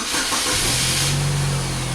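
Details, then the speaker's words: 2004 Oldsmobile Alero 2.2-liter, nearly 200,000 miles, intermittent crank-no-start: the engine cuts out with a hiss, then catches again into a steady idle as a loose wire in the PCM ground splice is wiggled. "all right there's a wire that's loose inside this splice here and let me just uh pull this back a little bit so i pull the wire back out of that"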